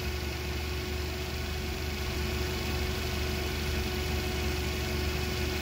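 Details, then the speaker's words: Toyota 8 Series 5,000 lb LPG forklift, 4Y-ECS engine, after the hard-start fix: warmed up and in closed loop, oxygen sensor switching, smooth even low idle rumble with no stumbles or knocks; idling normally. "So it's already warmed up, it's already on closed loop."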